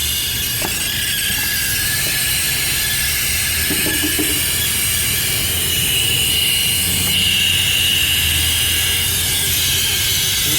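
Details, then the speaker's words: Ford van after a transmission job, engine running: steady airy hiss with faint whistle from a vacuum leak where a loose part fell and was hitting the fan; it needs repair. "There's a vacuum leak right here. And what happened is this thing was hitting against the fan making a noise like that."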